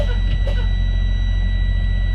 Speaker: That's the buzzer. And the warning light came on. That means it's working properly because it came on before 60 psi.